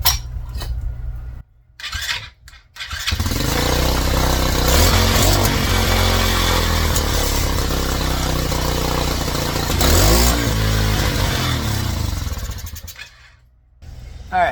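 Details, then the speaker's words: Old Tao Cheetah kids 125 ATV with a PZ22 carb swapped in for a VM20, first jetting run: fires after a few tries, then rising revs with a slightly ragged, uneven pull. Lean in the mid-range; needle clip to be dropped one position. "it's looking pretty good, but we're a little bit lean in the mid-range."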